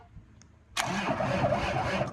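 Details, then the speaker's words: Ford 7.3 IDI diesel first start after sitting about 11–12 years: starter spins the engine evenly with no firing at all; crank, no start from lack of fuel. "Oh, it is turning. There's no fuel. I got some starting fluid in the hanger."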